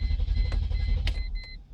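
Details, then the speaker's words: 2001 Mercedes E320 cranks but won't start: starter spins the engine with steady low chugging and a chime over it, never firing; faulty fuel pump relay. "it won't turn over. Okay, it just cranks up but won't turn over."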